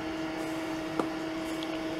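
A steady, even electronic tone holds throughout with no pulsing, which is the open-circuit alarm sounding as the ventilator is shut down.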